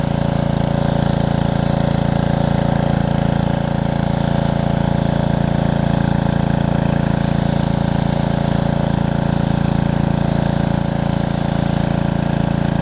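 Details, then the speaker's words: Karcher pressure washer with 6.5 hp Briggs engine and new carburettor, after long non-use, trigger pulled under pump load; even steady beat with no surging or hunting; normal running under load. "Under load, no surging, no nothing. So again, it was just being a little stubborn, which is awesome."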